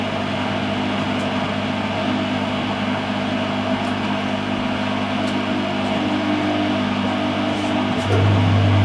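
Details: Whirlpool (Siltal) AWG324 D600 4kg 600-spin 33cm super-slim washing machine, mid-1990s: constant low rumbling drone under the motor hum as the drum turns, with knocking and a bouncy machine; the drum bearings are gone.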